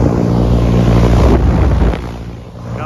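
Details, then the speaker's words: Brand-new York 3-phase rooftop AC unit after correcting reversed 3-phase polarity from installation: compressors and fan now turn the right way and run much quieter than the loud backwards running before, a steady low even hum with some wind on the mic. "now that they're running the right way to actually do sound a lot quieter"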